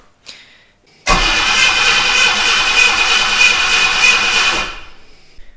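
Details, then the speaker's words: 1976 US Ford Capri Ghia with an ignition fault: the starter cranks steadily for about 3.5 seconds then cuts out, never firing, with still no spark; the cause is unconfirmed. "right so still no luck getting spark"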